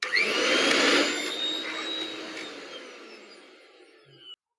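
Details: Fire-damaged mixer grinder (melted casing) after switch replacement, cover closed for the final test: high-pitched motor whine spins up smoothly, then winds down evenly after switch-off with no rattle or grinding; healthy motor.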